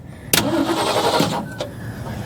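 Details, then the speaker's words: 1966 Ford Ranchero cranking without starting after pumping the throttle; starter turns the engine but it never fires, no spark found; owner suspects bad points or condenser. "all right all right we got no spark just probably that huh yeah probably the points or condenser bad"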